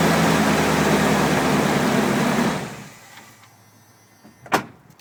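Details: 1994 Dodge Dakota that cranked but wouldn't start with no spark at plugs or coil, after temporarily joining a burnt wire near the fuse box: engine catches and runs smoothly and steadily a couple of seconds, then shuts down; normal running.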